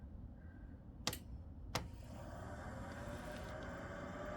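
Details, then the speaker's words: Chinese diesel heater (Vevor-type) with blue controller, owned a couple of years, switched on: two sharp clicks then a soft whir building steadily as the fan spools up, blowing cold air before the glow plug warms; normal start. "and you see the fan start whirring there."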